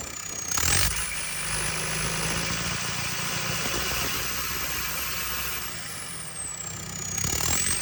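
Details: JCB 220 Ecomax diesel at idle with an uneven, stumbling beat of about four pulses a second; suspected engine misfire.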